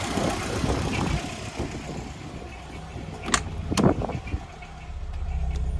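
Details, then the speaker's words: VW Golf Mk2 after idle adjustment (previously running too low RPM): after clatter, engine settles into low, even idle with no hunting; idle speed now correct. "yeah that's perfect now"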